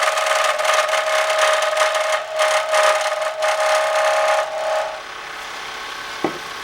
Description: Something is making a strange squealing type of noise when I'm turning pens on my lathe. Can't figure it out.